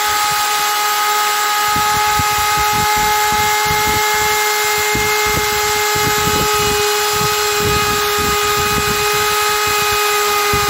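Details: Parkside PGS 500 A1 500 W brushed 220 V die grinder grinding welded corners of steel boxes: steady high motor whine with gritty grinding bursts; normal operation.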